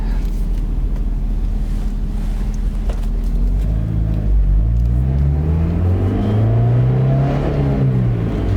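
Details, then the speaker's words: 1991 Mazda Miata 1.6 L, 23k miles, after engine rebuild; idles with a steady, even low hum holding about 30 psi oil pressure, then revs smoothly with no knocks. "Everything sounds good still. Happy vehicle."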